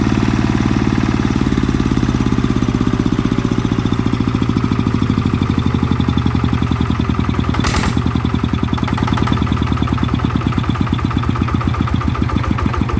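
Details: Type 160 single-cylinder diesel that was burning oil, after rebuild/repair: steady, even thump at constant speed, clean firing with no knock or miss; runs smoothly with good power.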